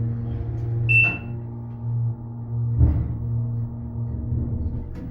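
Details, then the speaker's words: Schindler (originally Dover) hydraulic parking garage elevator, both cars low on oil: steady low motor hum with a brief sharp high squeal near the start, random screeching from the hydraulic pump. "This one's low. They're both low on oil. What the heck?"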